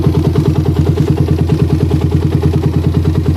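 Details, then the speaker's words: Motorcycle with a PWK carburetor whose choke has a weak spring. Pressing or wiggling the choke changes the idle, and light throttle hisses. The idle pulses and hunts instead of settling, from an air leak at the choke. Fix: fit a stiffer spring. "rpm-nya jadi gak anteng ya gak anteng nih ada ngeses sedikit pokoknya guys"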